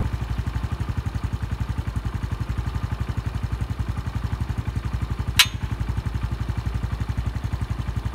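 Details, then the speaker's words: 2017 Honda Pop 110i single-cylinder, cold-started and idling about a minute: even thumping about four per second then one sharp metallic snap like iron striking once; happens each cold start; owner suspects something external, not internal, unconfirmed. "eu liguei a moto e aí quando há mais ou menos um minuto é dar um estalo na moto sabe tipo ferro batendo uma vez só pa"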